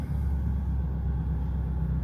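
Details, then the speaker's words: Audi TT with 24-year-old blown stock motor mounts replaced by DIY polyurethane mounts, cold start idle: steady deep, slightly boomy drone with noticeably more vibration, easing once idle drops; stiff mounts pass more engine shake. "There is definitely some more vibration going on. There's no doubt about that. I can hear it."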